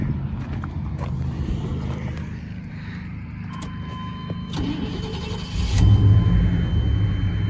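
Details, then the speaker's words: 1991 Chevy C1500 (181,000 miles on the odometer, engine about 2,000) with new fuel tank, pump and filter: starter whirs, engine catches and settles into a steady, even idle. "Is that pretty? Oh, it sounds good. She's a runner."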